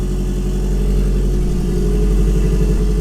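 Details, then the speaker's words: Turbo car with open downpipe, after removing fuel from the VE table to fix rich idle; loud, deep rumble holding an even, steady idle, running way smoother. "you guys can hear, it's running way smoother because we took a bunch of fuel out."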